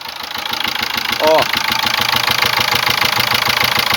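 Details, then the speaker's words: 2005 Ford Ranger diesel pickup at idle, customer complaint of a repeating "tu tu" noise: rhythmic puff about 200 times a minute over the clatter, a knock heard up at the air filter; intake valve leaking back into the intake. "o tu vocês estão escutando tu tu tu e olha o batidinho que tá dando em cima bem aqui ó no filtro de ar"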